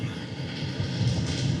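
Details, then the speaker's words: 2025 Alliance Delta 226ML travel-trailer roof air conditioner, running about an hour, ducted only to the bathroom, heard under the open vent: steady loud air rush over a low fan hum, no rattles; closing the vent is much quieter; normal airflow noise. "I don't know how much you can hear how noisy that is but when I close this this is where the Air's flowing through it is significantly quieter"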